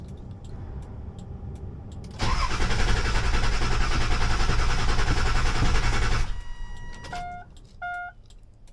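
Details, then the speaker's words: 7.3 Powerstroke diesel cold start next morning, 84°F outside: cranks then catches with a loud, lumpy, uneven clatter that never smooths out; rough start, owner suspects IPR valve, not confirmed. "all right here we go cold start I mean it's 84 degrees outside but it's the next day let's see what happens oh that is not healthy"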